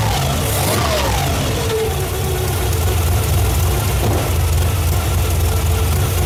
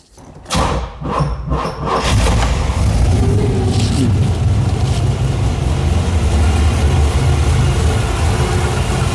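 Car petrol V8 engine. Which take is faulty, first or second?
second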